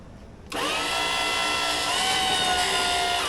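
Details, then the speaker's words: Free flood-damaged scissor lift (EWP) under new remote control, test lift after confirming the brake works: the hydraulic pump motor kicks in with a sharp high whine that strains and shifts pitch while lifting, sounding laboured. Owner suspects steering bypassing, unconfirmed. "It's copping a flogging, the old girl. Maybe she just doesn't want to play today."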